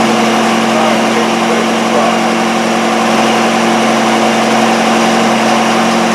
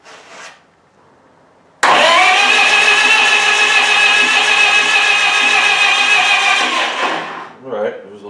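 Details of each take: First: Miller Wildcat 350D diesel engine welder, bought non-running, now running on tank fuel that was about 3/4 full of old diesel: a steady, even drone with no knocks or misses. Normal running. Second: Miller Wildcat 350D diesel welder bought non-running at auction, after a battery charge and a starter key wire repair, with the throttle tied about halfway. The starter whirs for about five seconds with no firing and it does not start. The safety shutdown relay may need holding.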